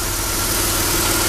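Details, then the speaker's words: Chrysler Sebring after repairing a three-tooth valve timing jump: smooth, even idle with steady hum and absolutely no ticking or knocking; engine running healthy. "all right now you hear it now there's absolutely no tick"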